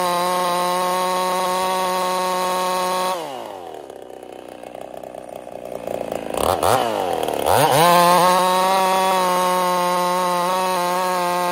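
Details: Ported Husqvarna 55 chainsaw: drops sharply from steady high howl when loaded, struggling back up slowly; lost over 1,000 RPM in about half a tank, new coil didn't help, couldn't finish two cookies; power loss.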